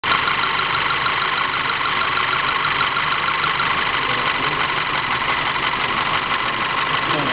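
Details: Audi TT 2.0 TFSI engine with a fast, sharp ticking knock, about three per second, over an unstable, shaky idle. Diagnosis found low compression and ignition misfires in the same single cylinder.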